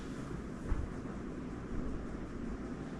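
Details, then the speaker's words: Newly installed Casablanca 4 Seasons 84U9D 52-inch ceiling fan on high: soft, steady rush of air over a low hum, very quiet motor, only very slight wobble, no ticking or scraping; good balance, running smoothly. "you can hear the air noise, but it's very, very quiet. The motor, quiet. And the airflow is solid."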